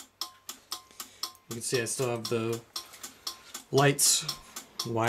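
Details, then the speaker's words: Fire alarm panel set to march time in second stage, system test: sharp pulsing tone near 1 kHz, about four quick blasts a second, then music and laughter drown it out; normal march-time signal. "I have the panel set to March time so I'll just sit around and wait for that to do its thing should be a seamless transition so we'll see"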